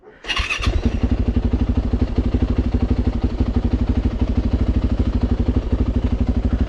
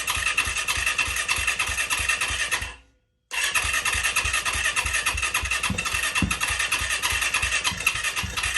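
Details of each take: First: Auction Yamaha YZ450F after fitting new parts, including radiators, first start: the single-cylinder four-stroke thumps at a steady, even fast idle with no knocks or rattles. Sounds healthy. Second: Auction Yamaha YZ450F after new parts fitted, no throttle hooked up, owner suspects a sensor plugged in wrong: fires and rattles about three seconds, cuts out, restarts unevenly and fades; stalls after starting, not locked up.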